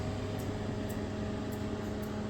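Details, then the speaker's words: LG NeoChef MJ3965BGS inverter microwave, about 4 years old: steady low hum with a sharp tick roughly twice a second and no heating load coming on; water does not heat, other functions work; magnetron fault. "there's a sound coming up tick tick tick tick tick tick nothing comes up"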